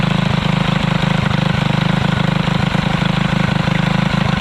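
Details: Alcohol-fuelled 212 go-kart engine, new torque converter fitted, after 3 months stored without draining fuel: crisp, regular single-cylinder beat at constant pace, every firing stroke even; normal running.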